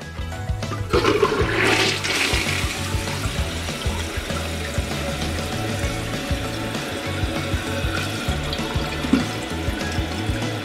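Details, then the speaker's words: Toilet not clogged but flushing weakly: water trickles and gurgles in a long, weak rush without a strong swirl, too slow to carry paper. Weak flush from blocked water passages. "the water is going but spring so slow the paper towels hardly can go anywhere unless if we use a plunger like this"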